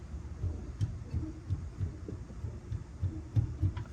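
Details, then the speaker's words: Polaris RZR 1000 front suspension rocked by hand: dull low thuds about every third of a second; control arm bushings worn out on both sides, a ball joint also suspect, found while chasing locking brakes. "the bushing right there is out same thing with this side looks like both these bushings are out"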